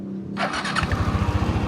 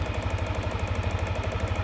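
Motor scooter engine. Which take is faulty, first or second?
second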